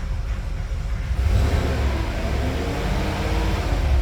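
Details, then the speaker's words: 2015 Cadillac Escalade 6.2L V8 driving, flashing check engine light, code P0300: deep uneven rumble with rough stumbling beat; misfire traced to a faulty ignition connector. "Okay, ahí se puede apreciar que el carro está fallando. Se siente claramente."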